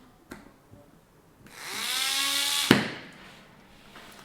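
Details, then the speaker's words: L298N-driven small DC gearmotor (redüktörlü motor) controlled by Arduino, just powered up after code upload; whiny gear buzz rising in pitch as it spins up, then cuts off cleanly; a bit noisy but running normally. "Biraz da gürültülü çalışıyor. Evet. Bu daha fazla gürültü yapmadan ben bunu çıkartacağım."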